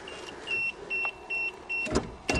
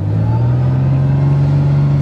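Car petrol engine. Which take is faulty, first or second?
first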